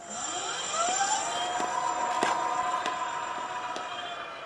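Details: Sparta Maxx 70 e-bike with a 48V front hub motor, after a wiring repair, on throttle: the motor whines up in pitch, then holds a smooth, steady tone at full speed, reaching 58 km/h; problem solved.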